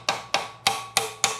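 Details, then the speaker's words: 1973 Mercedes R107 450SL M117 head during disassembly after sitting about 26 years: five crisp, light taps about a third of a second apart, each ringing briefly, as a stuck valve keeper breaks free and sounds loose, unlike a solid clunk when stuck. "now that's loosened up. You'll know. You can tell."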